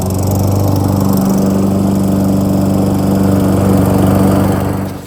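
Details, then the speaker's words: Free roadside Lawn-Boy mower after carburetor cleaning and air filter cleaned: small engine holds a smooth even buzz at steady speed for five seconds before cutting; started right up, running healthy. "cranks, start right up. Perfect."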